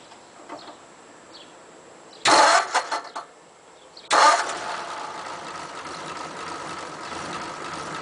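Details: 1941 Ford pickup, carburettor previously flooding, engine still warm after about half an hour: brief crank catches quickly and settles into a steady even idle; normal hot start (owner notes one restart took a second attempt).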